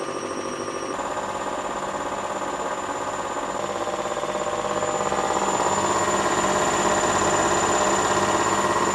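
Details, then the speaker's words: Hotpoint Aquarius 6 kg WMA50 washing machine on a test wash after a new suppressor was fitted; the old one arced and kept tripping the consumer unit. Motor whirs up with a rising hum and steady ticking as the drum speeds up between spins. Normal spin cycle. "it's done one spin and that's just kind of Motoring up again another spin should pick up a little bit faster really"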